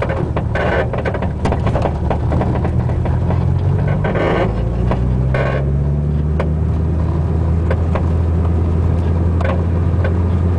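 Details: Front driver's-side Buddy Club Racing Spec coilover: constant creaking from the top mount and popping, clunking from the spring/shock body while driving, felt through floor and all pedals; repeated sharp pops and knocks over road rumble.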